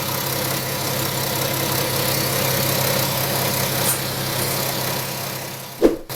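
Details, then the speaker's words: BMW F10 530d with the N57 diesel, about 165,000 miles, showing a drivetrain fault. Smooth diesel idle, then a sudden short clunk and whoosh near the end as something opens and closes; suspected sticking EGR valve hunting. "So I believe this might be the EGR valve. It's trying to open and close."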